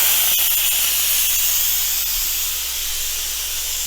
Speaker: So that's the sound it makes when the pressure cooking cycle, or in this case, the steam cycle, is over. We're gonna release the pressure, and I'll show you how to do that on the Ultra.